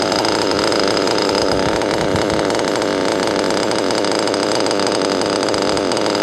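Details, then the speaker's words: Modded Nova/Teckno NT48.3 nitro RC engine screaming at high, steady revs with a thin, harsh buzz; owner thinks it still sounds lean after adjusting to 173, later thinks maybe still rich. "173 cuz I sounds like it's still lien"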